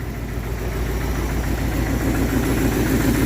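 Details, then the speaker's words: 1962 Dodge D200 with 318 poly V8 and 3-speed, off the road since about 2013, first run after oiling the cylinders: steady low idle, even pulses about three or four a second, no knock or misfire heard; runs, though smoking. "oh yeah not so bad it doesn't even sound that bad listen to that well that's exciting she's a runner"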